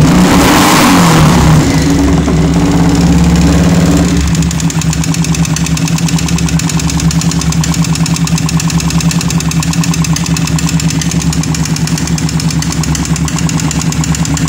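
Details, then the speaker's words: Yamaha Vixion motorcycle with smoking exhaust and smoke from the radiator area: rough idle with a steady, fast metallic ticking knock from the engine; engine knocking and rough running, cause not confirmed. "motor ini punya masalah yang pertama motor ini ngebol dari knalpot yang kedua suara kasar suara ngelitik di bagian mesin"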